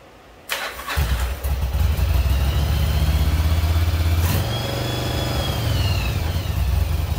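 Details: 1996 Yamaha Virago XV750 V-twin, sat about 10 years, after carbs cleaned and a missing jet refitted: a couple of cranks, then catches and settles into a steady, low, even idle with no misses or knocks. Normal start and idle.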